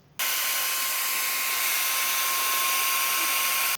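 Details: ISDT SC-608 charger cooling fan before balancing with tape: steady high airy whir with thin constant tone and rough buzzy edge; out-of-balance fan vibrating at speed.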